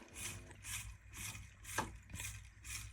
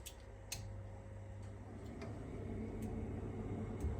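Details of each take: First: Old, never-serviced Grundfos central heating circulator pump: low hum with a surging hiss swelling about twice a second; pump is weak and pulsating, easily stalled with a screwdriver, and is being replaced. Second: Newly fitted central-heating circulating pump, replacing a weak, pulsating old Grundfos pump on a never-serviced system with boiler flow pumped downward: quiet, steady low hum with faint clicks and no pulsing, running smoothly after the repair.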